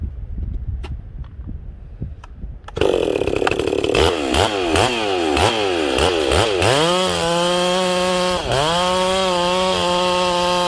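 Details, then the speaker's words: Ported chainsaw during break-in, first cut in wood, high jet richened: holds high steady scream with slight occasional four-stroking burble, intended for break-in. "again guys you hear it four stroking a little here and there that's what i want during breaking"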